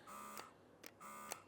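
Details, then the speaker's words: Ryobi compact battery-powered chemical sprayer (USB lithium-ion 2 Ah battery, rated 23 PSI) running dry with no solution: two short, even whirring buzzes that stop sharply with a click on trigger release; healthy pump. "but it is a trigger sprayer, so you can hold it and as soon as you release, it stops."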